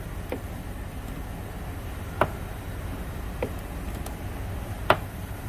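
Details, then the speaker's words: 2004 Toyota Sienna driver's door: sharp snapping cracks as the door swings open, caused by the door check spreading on its pin with cracked plastic; the fix is replacing the door check. "that drives me insane and what that is is this piece in here right there and that's called a door check"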